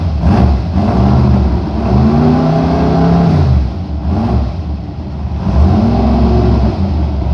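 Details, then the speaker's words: Chevy engine after head gasket repair, brief run without water pump belt to hear rocker arms: revs rise and fall smoothly several times with an even, solid note and no misses or knocks; normal running. "Okay, that's about as long as I really want to run it without a water pump belt on it. But it sounds like all power, so I think we're good to go."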